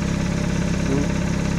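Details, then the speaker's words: VW Gol quadrado with a petrol CHT engine, still cold, after fine-tuning the idle mixture and adjustment screw: an even, steady low idle pulse that does not shake, stumble or hunt. Stable, normal cold idle. "olha não treme nada né muito estabilizado cara olha TR nada né motorzinho muito bom cara pht na gasolina [Música] carro muito bom cara tá frio ainda né v o carro ó estabilizado"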